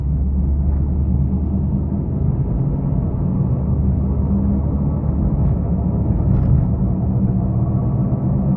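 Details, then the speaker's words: Proton Saga BLM driven slowly: a steady low drone from the front wheel with no ticks or scrapes, louder at higher speed; a worn front wheel bearing, confirmed rough at the workshop. "Tapi yang merisaukan dia punya berdengung tu. Kalau bawa laju tu berdengung tu biasanya berdengung ni bearing tayar eh. Gris dia dah keras."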